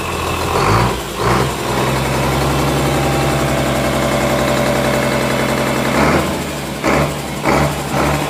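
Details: Komatsu S6D125 diesel test run after general overhaul (crankshaft, six liners, two pistons, two conrods, bearings, pumps, turbo, injection pump and nozzles replaced or serviced after a broken piston and spun rod bearing): pulls up smooth and even through the revs, clean smoke, no knocks or misses; healthy.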